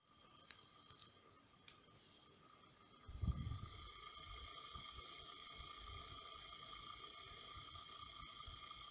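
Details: Brand-new Xiaomi Air Purifier 2S/3H running at low speed, including night mode: quiet airflow with a thin, steady high whine; unwanted fan motor noise.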